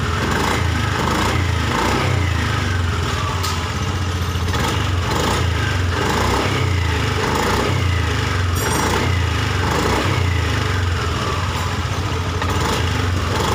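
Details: Honda Beat ESP scooter after the faulty part was replaced, trouble codes cleared and ECU reset and relearned: engine catches and settles into a steady, even idle with clean blips, no misfire or stumble; runs healthy.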